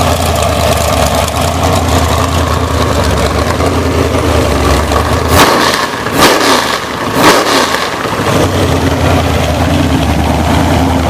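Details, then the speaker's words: Blueprint-rebuilt 427 big-block Chevy from a 1969 Corvette, Comp Cams XR276HR hydraulic roller cam, 10.0:1 compression, Edelbrock Performer air-gap intake, mufflers removed, destined for a 1972 Chevelle SS. Loud, lumpy open-pipe idle, two clean blips, settles smoothly; normal idle. "i'm going to start it up i'll let you hear how nice it runs i took the mufflers off today so you can get the full full song"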